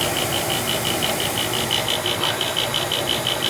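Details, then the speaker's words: Old Bryant gas furnace making loud noise at night: rapid, fairly regular chirping tick about three times a second over a loud motor whir; inducer motor bearing suspected, may be oiled. "It is a little loud, huh? I mean, this is an old furnace."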